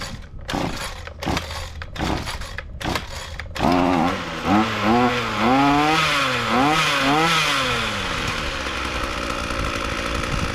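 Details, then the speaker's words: Ryobi two-stroke trimmer that didn't run, after repair: a few pulls, then it catches, revs up and down cleanly and settles into an even steady run, starting easily; normal running, locked shaft gearbox still unfixed. "right so that sounds pretty good uh starts starts easy and seems to be running good"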